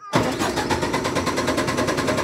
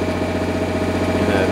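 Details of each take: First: MEP 1040 military diesel generator cranking: steady starter churn about 200 per minute for nine seconds, never catching; no fuel seen reaching injectors from injection pump, owner suspects the fuel pumps failed; crank no start from fuel starvation. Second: MEP 1040 military diesel generator carrying heater load on convenience outlet: steady even diesel drone with firm rhythmic beat, holds speed without surging as governor adjusts, a little smoke expected; normal running under load.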